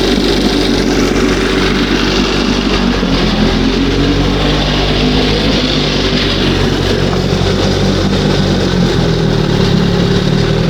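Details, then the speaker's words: 1971 Johnson 20 hp two-stroke outboard: busy idle creeping up and sagging back instead of settling; owner suspects top or bottom seal or makeshift hose pulling air; surging idle. "You know that top seal could be that bottom seal. [music] It's pulling a little something from somewhere."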